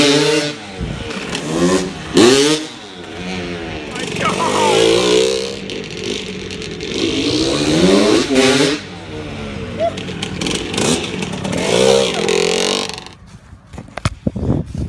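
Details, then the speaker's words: 1992 Suzuki RM125 two-stroke dirt bike after new clutch, clutch cable and 700 oil fill: sharp, crisp two-stroke buzz through repeated hard revs and pull-away in first/second, no longer the bad ringing noise it made before; strong, normal revving. "This is a pure 2-stroke noise. That is awesome. That is so awesome. That's an adrenaline rush."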